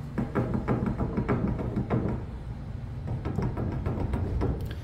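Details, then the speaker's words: Trailer wheel hub: quick dull clunks as the wheel is rocked by hand; the bearing is much too loose, and the fix is to snug the castle nut to remove the play. "now let me show you back on this one you're probably going to be able to hear this one it's much looser and I'm just doing this with one"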